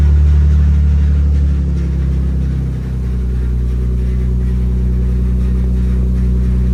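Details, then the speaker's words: Car restarted after the bad fuel was drained and replaced with fresh gas: a deep, even rumble with a clean dip and pickup around a throttle blip, no misses, running healthier than on the bad gas. "sounds pretty healthy sounds happy happier than it was with that shitty gas a little bit yeah definitely"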